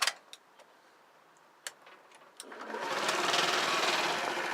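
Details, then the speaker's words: 50cc Honda, low on fuel, fuel line initially empty; a few clicks then engine catches and settles into quick, even, high-pitched buzz; starts right up and runs smoothly. "starts right up um she's got low on slow fuel too i don't have much gas in it"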